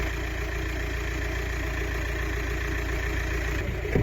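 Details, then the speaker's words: 2005 VW T5 Transporter diesel with 230,000 miles, a non-runner revived with a battery. A smooth, even low idle rumble with no misses or knocks despite warning lights including ABS and no power steering; alternator apparently showing 14 V. "but seems to run"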